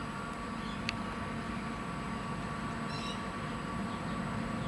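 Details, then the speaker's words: Brass Monkey 35/45 L dual-zone 12 V compressor fridge, just cycled on, run 24/7 for months: a steady low hum with a faint constant whine. Not the quietest but far from noisy; normal compressor running. "whilst they're not the quietest fridge i've ever heard certainly far from noisy"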